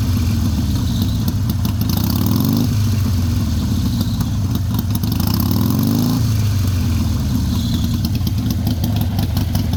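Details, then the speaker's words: Harley Sportster 883 idling and revving with metallic squeal and rattle, worse while riding; exhaust slip-ons missing mounting bolts to the bracket, moving metal-on-metal, stops when foot holds exhaust. "And I was hearing this awful squealing noise, especially when I'm riding. Let's see if we can make it happen again."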